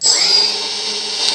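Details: ArduFlyer/ArduPilot-controlled quadcopter, motors armed and spinning under throttle while switching toward auto mode: steady, high, even whirring whine with no roughness or rattle; normal motor run.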